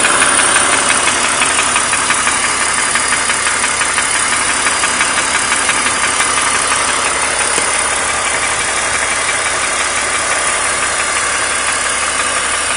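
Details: 2003 BMW 330i E46, M54B30 inline-six, 158k miles, steady idle with a crisp even tick-knock about three per second; bottom-end knock, owner suspects piston slap after the bottom end overheated; swapped used cylinder head, present 50,000 miles, drives fine.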